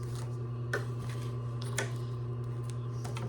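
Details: Singer 112W115 industrial sewing machine, after tightening a loosened screw during a bobbin-tension tune-up, test top-stitching through about 8 layers: steady low motor hum with crisp, even needle clicks and no knocking or grinding; clean, normal stitching.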